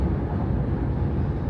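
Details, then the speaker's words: Jeep Grand Cherokee WK2 at about 75 mph after a no-cost fix of the cowl, the plastic panel between hood and windshield, that hummed at speed. Only steady low wind and road rumble with no cowl hum; the cowl is now quiet. "now we have more wind noise in the chassis but the cowl is completely quiet"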